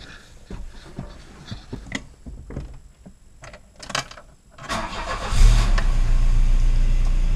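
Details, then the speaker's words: Volvo 240 2.3 petrol non-turbo after replacing worn plugs, wires, distributor cap and rotor: clicks and handling noise, then the engine catches and settles into a steady, even low idle with no misses; feels smoother. "Almost always feels a bit better when you have done something, but I think it feels a bit more smooth in the engine. And it wouldn't surprise me because it was worn out, that's for sure."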